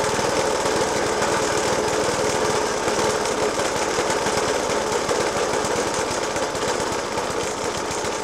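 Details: Suffolk Punch 30S mower, 1991 era, Dellorto FCH 20 carb; after new spark plug, decoke and carb clean, still loud uneven banging about two a second, harsh and irregular through the idle; cause not pinned down.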